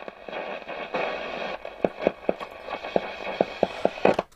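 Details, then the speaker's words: Roberts R200 radio that was totally dead, revived at 8 V on a bench supply. Hiss broken by irregular crackles, about two per second, when tapped. A transistor is suspected, and the tuning cap is later reconsidered; unconfirmed. "so don't know if that's transistors or the tuning cap i think that's transistors yeah the um if i tap those [Applause] yeah it's got poorly transistor isn't it"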